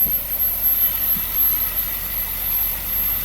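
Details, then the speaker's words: Porsche Panamera S V8 after timing-chain kit repair, just restarted after refueling, fan control still unplugged; low, even idle with steady beat, no misses or ticking, no vibration; running smoothly. "listen to how smooth that is look at that not vibrating at all wow amazing"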